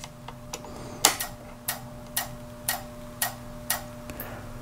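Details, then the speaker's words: Tektronix 485 oscilloscope with no power, after replacing a shorted tantalum with a 22 µF 35 V electrolytic: light ticks about twice a second over faint hum as the supply starts and shuts down against a shorted rail. "I've heard people call a tick tick boat because you can hear it tick slightly as it turns on and the short forces it to turn off and it just Cycles over and over that way"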